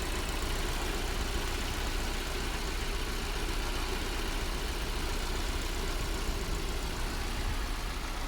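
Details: Mercedes W124 M102 engine, first start after a Voltarent EFI conversion with long iridium plugs gapped over 2 mm: a busy idle with a faintly uneven, stumbling beat, hinting at a slight misfire. Cause not confirmed. Rough idle, slight misfire.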